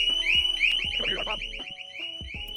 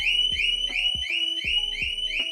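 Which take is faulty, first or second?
first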